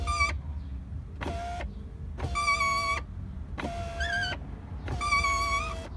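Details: Mini Cooper R56 power window: high wavering squeal over motor hum during travel; regulator cable rubbing against black frame, fixed by greasing cable at that contact point after lubricating cables and blue gear failed.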